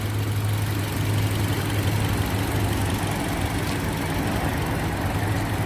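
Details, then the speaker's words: 2007 Toyota Yaris after replacing the faulty ignition coil that caused misfire and hunting: steady, even, low idle hum with the AC running, no stumbles or hunting; normal smooth idle. "मैं अभी कोई problem नहीं है problem निकला था यही कोयल problem था ठीक है छोटा सा काम था इसमें"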